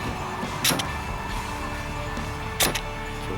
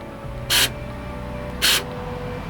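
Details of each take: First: 2005-2006 Ford Expedition door after replacing the power door lock actuator, tested with the key: two crisp, quick clunks about two seconds apart; lock and unlock engage cleanly, normal actuation. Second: 2005–2006 Ford Expedition door lock operated by key: two brief harsh buzzes with no lock clunk, door not unlocking or locking; failed power door lock actuator, to be replaced.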